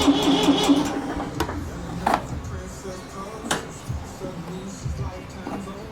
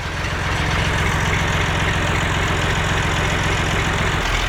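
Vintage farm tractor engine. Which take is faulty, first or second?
first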